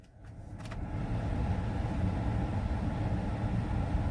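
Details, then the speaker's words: Ford F-250 Super Duty (2011-16) blower motor just replaced after not working, running on low: a steady, even whoosh with a soft hum and no ticking, rubbing or wobble; normal blower operation. "Reach over here and turn that on. And you can hear it's on low."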